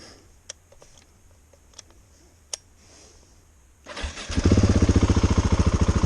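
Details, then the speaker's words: Nearly new KTM 690 Enduro R, just back from the shop for overheating: silence, then the single catches and settles into a steady thumping idle at three to four beats a second; intermittent no-start, cause unknown, heading back to the shop. "okay i'm not gonna risk it i'm gonna shoot back home bring it back in okay so that's the starting issue i'm having so we're gonna head it back home and bring it back to the shop see what's up you"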